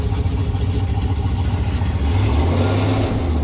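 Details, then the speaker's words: 1995 Jeep Grand Cherokee ZJ V8 after replacing crankshaft position sensor with a Mopar part, driving: deep, steady rumble pulling evenly under throttle with no hesitation; idle still not great. "Oh my God, that's so much less hesitation. Woo! Look at us f***ing rolling. We're rolling. No hesitation."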